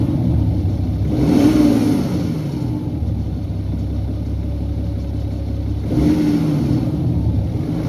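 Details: 2011 BMW 530d xDrive N57 diesel timing chain noise: rough rattly clatter over the engine as it revs up and settles; main bearings also significantly worn, fixed by replacing chain plus main and rod bearings.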